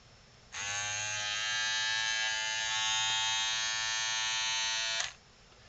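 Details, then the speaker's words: Andis BTF3 hair trimmer after repair of no green light and no charging fault, reassembled and run off a full charge: bright steady buzz holding constant pitch about four seconds, no wavering or rattle; motor running normally at full speed. "sounds good sounds sort of like a picture I'd expect from a full speed motor off a full charge"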